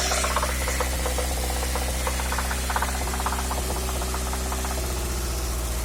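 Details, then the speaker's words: Engine A16A1: light uneven tapping knock about two per second over the hum, traced to cylinder two; near idle it disappears during blips, quiet at pure idle. "Второй цилиндр. Так, ну близко к холостым пропадает при прогазовках. На холостых все тихо."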